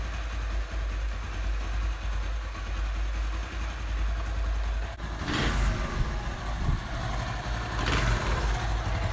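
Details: Honda CD 70 idling after carburetor cleaning for a missing, stalling idle: low, even single-cylinder thump holding steady without stalling or missing, a couple of short noises over the top; healthy idle.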